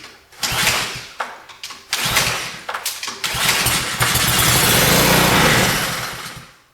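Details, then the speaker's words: Old pressure washer found behind a barn, spark confirmed, started on ether: engine catches, runs rough a few seconds and dies once the spray is gone, then won't restart; clogged carburetor. "It fired up. It ran. It shut off. We tried to recrank it. It didn't start."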